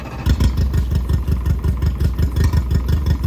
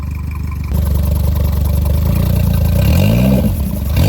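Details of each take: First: Mercury 60 hp 60 CT outboard, 150 hours, with a known fuel issue, freshly mounted on a Powercat boat and smoking: low lumpy idle with uneven thumps and skipped beats about three a second; sounds like it's missing. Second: Mercury 60 CT 60hp outboard with 150 hours, swapped onto a Powercat boat. VST fuel pump refitted and running off a hose at a steady 40 PSI. Steady idle with two clean, smooth blips; the earlier fuel issue seems fixed.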